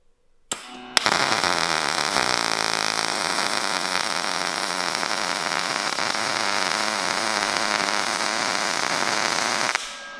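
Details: New Sherman DigiMig 215 DualPulse, first weld: 2 mm steel plate, 100 A, 6.7 m/min wire, standard MIG. A steady, even frying crackle holds about nine seconds without sputtering or popping; normal MIG welding arc.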